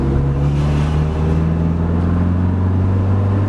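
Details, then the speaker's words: Honda Civic muffler with holes repaired using Flex Tape and Flex Seal, reinstalled and driven: steady smooth low drone under way with no blowing, ticking or rasp; exhaust sounds sealed and normal. "I mean it sounds good though like to be honest it sounds normal yeah it's only loud what it needs to be"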